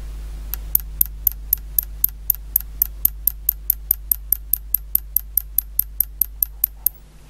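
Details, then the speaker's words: Mimi 802 vintage computer power supply on auto transformer, input voltage raised, sharp even ticks about four a second over low hum; over-voltage crowbar killing output and supply restarting in cycles. "if you can hear it ticking and that's just the over voltage crowbar they're killing the output and it's cycling the power supply is restarting"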